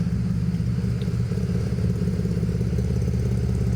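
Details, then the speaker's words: BMW E92 335i, N54 with single turbo conversion and new custom 3.5-to-4-inch stainless exhaust: loud deep cold-start idle with an uneven, loping, cam-like beat, actually from cylinders misfiring on the cold engine. "It almost sounds like a cam, but it's actually just misfiring. That's not that bad."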